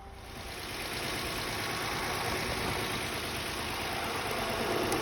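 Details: High-mileage 2017 Mitsubishi Mirage after a flooded no-start, cleared via the fuel pump fuse: steady, even engine hum settling after start-up with no misses or knocks; normal idle.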